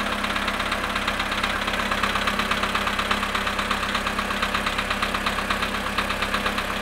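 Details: VW Polo sedan engine at cold start, -2 °C, after sitting 22 hours: cold idle with a sharp, even ticking knock, close to three per second, steady throughout; source of the knock unclear.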